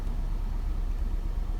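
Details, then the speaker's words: 2005 Nissan Altima 2.5 four-cylinder, 200,000 on the odometer, code P0301: lumpy idle with irregular thumps, misfiring on cylinders 1 and 4; bad non-replaceable valve cover tube seals, fixed by replacing the valve cover. "we rev it up a little bit oh yeah she's misfiring really good right there"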